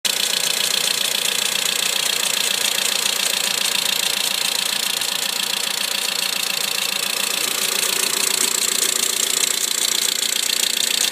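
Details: 2008 Mitsubishi Lancer idling at -5°C after extreme cold of -35°C: fast, fairly even light ticking about three per second from the passenger side, diesel-like clatter of unknown origin; fine at 3°C.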